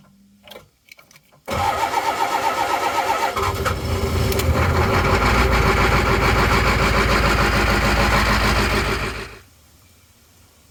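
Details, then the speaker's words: Cold diesel bus with suspected faulty glow plug controller: starter churns in a fast regular rhythm about eight seconds, never catches; owner says continuous cranking won't start it when very cold, needs glow plug cycles. "I don't think this is working quite right so if I just keep cranking it'll never start if it's really cold"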